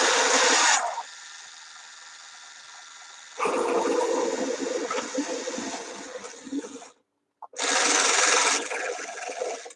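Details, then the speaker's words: Stream repair of a robot dog toy ("Canine") with suspected split gears: whirring small motor with rough gritty bursts cutting in and out; owner doubts it's the motor shaft gear, and it can't go forward. "Oh, that sounds really bad. I don't think that's even the motor shaft"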